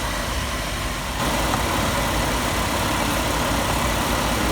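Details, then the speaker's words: 1997 Chevy Astro van that wouldn't start in damp weather, after new distributor cap, rotor, plugs, wires and coil: steady, even idle with no misfires even when soaked with water. "she's saturated this time. A lot more than I soaked the last coil. No more misfires."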